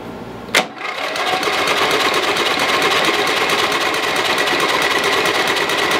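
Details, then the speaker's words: Lowe's 1442 mower, 14 hp engine, choke off, spark confirmed, battery nearly dead: fast, even starter churn with regular compression pulses that never fires. The carburetor held no gas and the fuel shut-off was closed. Expelled fluid may be oil. No start. "so I pulled the carburetor off I started checking into it and as I started getting deeper and deeper into the carburetor I started looking and realized that there's no fluid in the carburetor there's no gas whatsoever"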